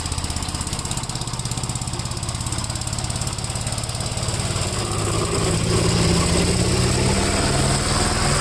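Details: 1957 Gravely with a smaller 12-volt battery fitted, mowing soaked grass: a steady single-cylinder thump at around two hundred beats a minute holds firm as load comes on. The strong, healthy engine cuts with power to spare.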